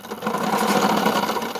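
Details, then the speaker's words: Bafang motor on a Banana Boss e-bike, heard under pedal assist or throttle (quiet when the wheel spins freely): harsh, rattly grinding whir; damaged motor internals likely, teeth inside the motor broke before. "it makes a lot of noise so there's something wrong with the motor i don't know what it is"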